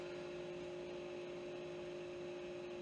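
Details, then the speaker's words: Original Xbox console at first power-on test, quiet steady whir with constant tone, no rattle; an additional fan is audible, and the console booted up without any issue, fan running smoothly and normally. "Okay, that's a great start. I can definitely hear that there is an additional fan in"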